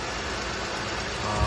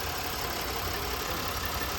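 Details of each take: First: 2011 Buick Lucerne 3.9 L V6 idling after start-up during a PCV system check, PCV valve installed in the valve cover, no oil leaks: steady low hum with some hiss, no misses or surging; normal idle. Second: 2011 Buick Lucerne 3.9L at idle with the PCV line disconnected: a loud steady hiss over the idle, jumping louder midway, as air is drawn through the open line; vacuum leak, engine runs rough.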